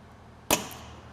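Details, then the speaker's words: Big Bertha field autoclave at power-on via the toggle switch: one sharp clunk as the electrical contactor pulls in on its magnet, then quiet; normal. "when we turn the power on on the toggle switch you'll hear a clunk inside there's no need to worry about that it's the electrical contact - pulling on its magnet"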